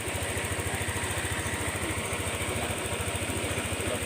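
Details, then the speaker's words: Honda Click 125 scooter at 160,000 km, after connecting rod and crankshaft repair for a loud rod knock; small single-cylinder putters at an even, quiet idle with no bottom-end knocking: normal idle after repair. "นี่นะทำเสร็จแล้วนะครับนะเบาๆนะเงียบๆ"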